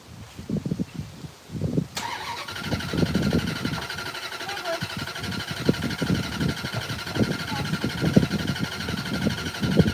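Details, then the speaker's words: Chrysler Fifth Avenue with Mopar mini starter and ill-fitting battery: starter spins engine fast with steady pulses for seconds but never fires; owner suspects loose battery cable or dry fuel system. "I had to crank it for a little while and see what happens. Apparently nothing happens. Battery cable is probably loose."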